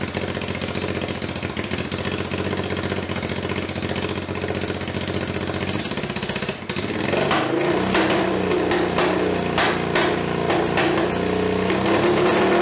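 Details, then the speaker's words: NTV-based budget scrambler build with a cheap dB-killer baffle clamped into the exhaust: loud, hard idle that revs with sharp cracks and pops from the tailpipe; meter reads 90 dB at idle, 100 dB revving, 115 dB on the pops. Still far too loud. "all right so that's 90 idle 100 when you're revving it and then 115 when it pops too loud"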